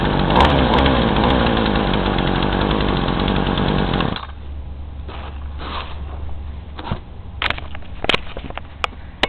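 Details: Craftsman chainsaw with new fuel lines on roughly 40:1 mix, started hot with no choke, screams briefly then sags and sputters; it bogs on throttle and smokes. Carb screws are about 1.5 turns out after cleaning, and the cause is unknown.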